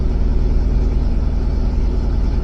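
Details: 2005 Ford F150 just after starter replacement: steady, even low rumble at idle with no knocks, ticks or hunting; normal idle.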